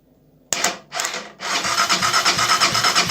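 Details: Benelli TNT 25 starter motor after disassembly and repair, run by bridging the relay: a couple of short bursts, then a steady high whirring spin with even pulsing. The starter turns freely and sounds healthy.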